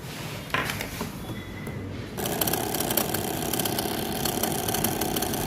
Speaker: अंदर से बजर का साउंड आ रहा है इसका मतलब यह है कि जिले के कोइल में करंट पूरी तरह से करंट सर्कुलेट हो रहा है इसका मतलब यह है कि हमारे रिले पूरी तरह से सही है